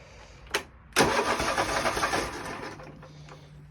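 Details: Husqvarna riding mower that had no crank and no start with a new battery, after a blown fuse was found and replaced: a click, then a short crank that catches into a steady low idle right away; it starts normally now.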